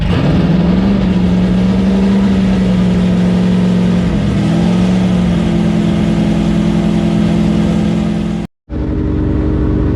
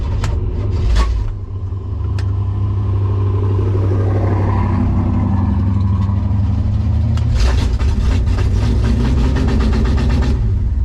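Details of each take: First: 1965 Impala SS V8 after a broken lifter was replaced, at the track: held at raised revs in the car to break in the cam and new lifter; smooth even drone with no tapping, valvetrain healthy. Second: 1965 Impala SS V8 idling after breaking a lifter on the first drag pass, oil pressure good: rough, low idle with an uneven, fast light ticking late on, the broken lifter clattering in the valvetrain.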